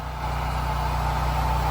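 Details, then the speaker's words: BlackMax 7,000-watt generator load-tested on a house, powering the pool pump at max flow near maximum power: steady, even drone with no hunting or bogging under heavy load; the generator runs healthy. "it's pretty much max power i don't even hear the generator suffer a little bit wow that's good to know for hurricanes"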